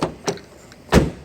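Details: Nissan Micra (P1610 lock mode), remote key: a couple of soft taps, then one firm thunk as the central locking actuator releases; unlock only works reliably when the button is held down, after several failed presses.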